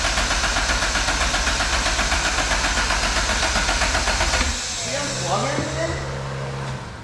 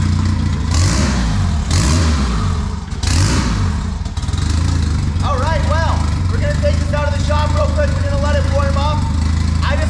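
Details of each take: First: Honda Civic, first start attempt after fitting a $120 turbo that replaced a blown one. Fast, even cranking for about four seconds with no firing at all. It is a crank no-start because no ECU is installed in the car. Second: Turbo Honda Civic on a $120 turbo, restarted with a borrowed stock ECU installed. The engine catches, revs a few times, then settles into a steady, even run without stumbling: a normal start and idle.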